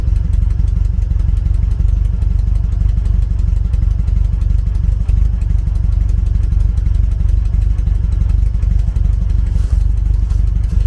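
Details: 1974 VW Beetle with Weber IDF carburettors, one idle jet blocked again: engine revved hard to try to blow it clear, still choppy and uneven with dropped firing pulses; misfire persists from the blocked idle jet.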